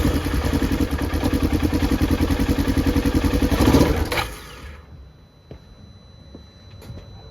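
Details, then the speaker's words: 2015 Polaris Ranger 900 XP, owner replaced fuel pump suspecting water in fuel; catches and chugs unevenly about four seconds, then dies; fuel starvation from contaminated fuel and a faulty injector; stalling after start. "It kind of starts up for a second, then dies, and show you what I found."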